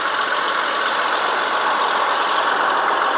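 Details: Normal idle of a 2004 Ford Freestar petrol V6: smooth, even hum with no stumble or uneven beat.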